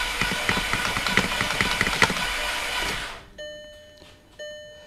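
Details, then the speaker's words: Salvage VW Passat 2.0T FSI after a timing belt replacement, not run in a long time, weak battery: the starter spins fast and even with no compression pulses. No binding, but no compression is heard; bent valves suspected. "that didn't sound good did it then sound good at all it really it sounds like no compression at all"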